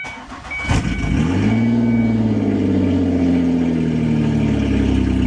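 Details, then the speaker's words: 2001 Ford Escape after ECU and steering-column key-ring work; previously it wouldn't rev. Brief cranking, quick catch, then a steady, even idle with no knock or miss. Healthy start. "Hey, that sounds good. If you remember, this thing wouldn't rev, wouldn't get out of its way, wouldn't do nothing."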